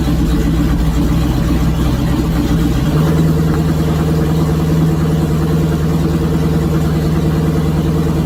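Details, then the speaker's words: Ford Model A LS V8 swap, first runs after fixing a wiring harness flipped backwards: catches and runs with uneven, lumpy low beat and wavering pitch, won't hold steady idle unaided; only idles with key in start. "So my wiring harness I flipped completely backwards. Yeah, that was fun. So it sounds like we have ourselves almost a running engine."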